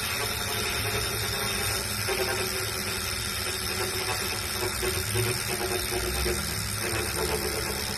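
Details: New Wahoo Kickr V5 smart trainer, a replacement for a Kickr Core that clanked: steady gritty grinding rasp over the flywheel whir; harsh grinding while it spins.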